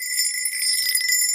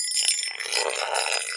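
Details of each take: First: Now, if I move it over to an area here, which we know is good, much higher pitch. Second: Now, one of the easiest ways of telling if something is drummy is to rub a metal object over it. Now, you can hear that actually sounds quite hollow.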